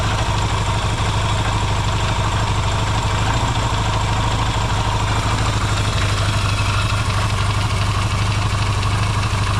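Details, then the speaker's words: Yamaha XS650 twin after oil-burning repair, cold restart with a little choke: steady even low-pitched idle, smooth pulse, no misses, knocks or rattles; runs quieter and no longer smokes when revved as before. Normal cold idle. "before it would be it' be W in out smoke when I do that it's not doing that anymore man it sure runs a lot better now that's that's great"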